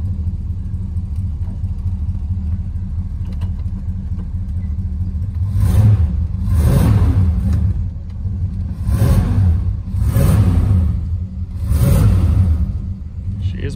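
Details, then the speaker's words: Mopar 383 V8 in a Plymouth Fury, choke on, throttle blipped; rough rumble with dull knock riding the revs, engine starting to knock again, to be pulled and rebuilt; cause not confirmed. "needs some stuff but the the engines starting to knock again so pull one in the shop pull the engine out of it and send it off to a guy to have it rebuilt"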